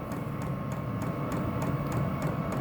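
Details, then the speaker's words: Vevor diesel heater controlled over Bluetooth, power raised from minimum: crisp, regular fuel-pump clicks about three a second over a steady fan hum, speeding up as power rises. The pump is working normally. "you can see the gears going up here you can hear the the pump picking up"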